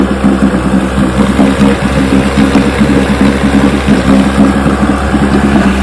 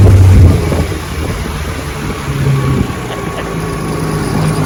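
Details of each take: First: 1960 Johnson 10 hp outboard after gearcase rebuild, carburetor high and low speed needles just turned in: steady burble with a small stumble on acceleration and a lean sneeze at low idle; backing out a quarter turn improved it. Hesitation on acceleration. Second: 1960 Johnson 10 hp outboard on a 14-foot Feathercraft on the lake, about 70 degrees, after gearcase rebuild and carburetor adjustment, full throttle at about 18 mph: strong steady drone with wind, even and clean, no misfire or gear noise. Normal full-throttle run.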